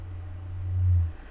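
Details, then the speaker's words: NAD 3020A amplifier mid-recap, no music playing, volume at minimum, bass turned up: a steady deep hum swells then drops, mainly on the right channel; low-frequency oscillation, traced to a dry solder joint and cured by blanket resoldering. "u can hear not what I would call a thump, but a noise. Yeah. And that's mainly on the right hand channel."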